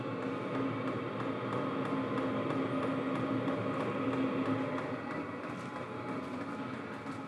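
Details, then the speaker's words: Portable diesel heater for rooftop-tent truck camping, running after start-up: a steady fan rush with faint, regular fuel-pump ticks about four a second. It is not too loud, the clicking has quietened, and it is running normally while blowing hot air. "see it's not too loud I can still hear the clicking but it's gotten a lot"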